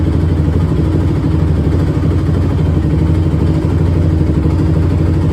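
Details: 2006 Honda TRX450R, stock exhaust, idling; owner reports bogging and dying when hot. Even, steady low thumping with no misses or stumbles; normal idle.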